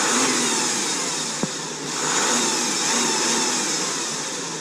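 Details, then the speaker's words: 2013 Porsche Cayenne Diesel, 3-litre turbo diesel V6 with 240 hp, at idle with a couple of free revs: a smooth, healthy sound, with the clicking common to Porsche models. "That is the big torque diesel V6 in action. Give it a couple revs so you can hear that."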